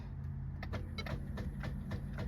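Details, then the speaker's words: 2020 Ford Fusion 1.4 EcoBoost: starter grinds slowly with sluggish cranking, about four strokes a second, engine won't catch, acting like a dead battery; alternator found putting out almost 20 volts. "sounds like the battery's dead, doesn't it?"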